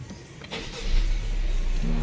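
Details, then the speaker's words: 2017 Honda Civic after GPS tracker install with app engine-kill, start retried once the immobilisation was restored: brief starter churn, then the engine catches and settles into a steady low hum; a clean normal start. "Coba kita hidupkan satu kali lagi sudah on Ayo kita Nyalakan"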